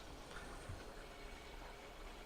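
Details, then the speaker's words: GE front-load washer (WHDVH626H1WW) being diagnosed for not draining (pump WH23X10028): steady rushing hiss of hot water filling the tub with no knocks or pump noise during the leak check; the fill is normal. "it's filling with hot water so now is a good time to check for leaks and watch as the water rises in the tub"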